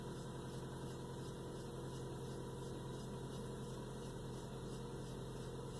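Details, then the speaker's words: 1996 Toyota Camry at idle: faint high chirp repeating roughly three times a second over the engine from the serpentine belt, badly worn with rib separation; noise gone after replacing the belt. "That's probably the alternator belt. Oh, no, the sound is gone. That's the problem."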